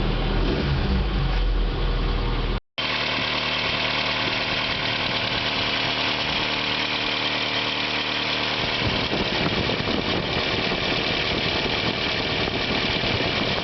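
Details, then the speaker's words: Isuzu Holden Rodeo after new alternator fitted, charging about 13 V, revs raised: steady idle with an airy fan-like whoosh, a new noise since the alternator swap, source not pinned down. "we'll increase the revs bit of a new um I notice a new noise sounds like a fan"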